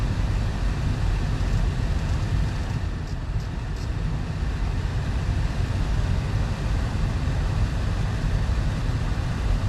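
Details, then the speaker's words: 2014 Audi A4 B8 after replacing the loud, failing blower motor: an even, steady rush of air at top fan speed, much quieter even at lower speeds, and the former loud hum is gone. Normal blower motor operation. "All right, that is much much quieter even at lower speeds."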